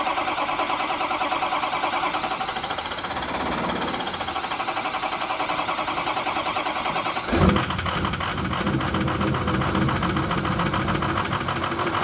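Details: Diesel truck cranking on weak 7-year-old batteries (from early 2011), unplugged, started with ether after hot no-start repair with turbo intake duct refitted; steady cranking about seven seconds, catches with a thump, settles into rough even run; running after a year.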